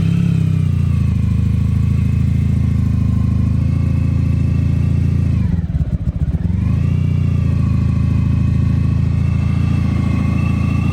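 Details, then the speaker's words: 1991 Honda ST1100 four-cylinder, long sat unused, cold-starting and idling steadily on choke after a carb repair, revs rising as it warms with one brief dip; the earlier knock is gone. "got to running on choke right now we'll give it some time to warm up a little bit you can see it's already hopping up an RPM"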